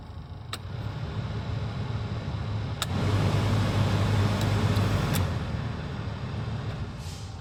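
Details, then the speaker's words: 2007 Toyota Tacoma PreRunner SR5, 174,000 miles, after replacing burnt blower resistor and connector (previously High only): steady fan roar rising and easing with speed changes, blower works on all speeds; faint regular tick, blower motor itself suspected worn. "all the levels are correctly working."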